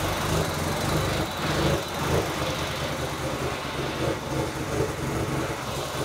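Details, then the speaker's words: Honda Civic D16 engine with a new turbo kit, first start on E85 fuel; it catches and settles into a steady, slightly lumpy cold idle without stalling or misfire, a healthy cold start. "yeah cold start with 85 is not always as good as 98 so it definitely smells better"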